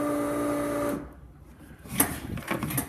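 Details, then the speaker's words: Newly installed fuel pump priming at key-on before first start-up attempt: steady electric hum for about a second, then cuts off cleanly; pump primes as it should. "switches on let's get back to resume let's see if we can hear the fuel pump run"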